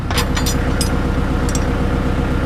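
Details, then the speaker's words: Kubota L48 backhoe, diesel at idle after resealing hydraulic pump 3 (swing-only pump, right side of engine), which before wouldn't work at idle: steady even thrum, light clicks, no strain or whine, no leaks; hydraulics normal. "Start it up at idle. Let that fluid circulate a little bit. I don't see any leaks. See if we get anything out of this swing."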